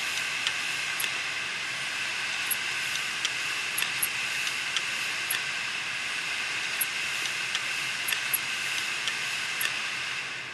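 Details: Western Digital 500GB external USB hard drive, clicking: steady high scraping hiss with scattered sharp ticks about every second while spinning; heads crashed onto the platters, drive had fallen over from standing.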